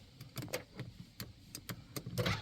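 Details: 1995 Plymouth Voyager, wrecked, sat four years: handful of quick firm clunks as power door locks cycle; actuator snaps over cleanly and works, though one side's lock doesn't lock.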